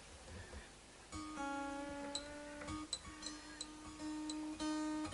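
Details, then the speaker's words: Fender American Elite Strat during setup, received new from a retailer; sustained note being tuned broken by sharp metallic pings as the string sticks in a too-deep, tight nut slot; slot widened to stop it catching. "Hear that pinging? That's the string sticking."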